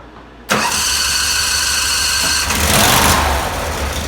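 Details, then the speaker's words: Mini snow cat engine started with newly fabricated exhaust fitted, previously very loud: fires instantly and settles to an even idle with a brief blip; smooth, moderate exhaust note, no leaks or rattles. "Let's take a listen to what this thing sounds like with the exhaust on it. It was ridiculously loud before, so hopefully it's half that."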